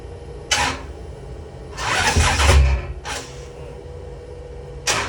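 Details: 1972 Chevelle 540 big-block V8 hard start: short bursts of slow cranking that stop and restart but never fire; at 0° TDC compression with rotor at #1 there is no spark on passenger side, cause suspected as battery, distributor or starter.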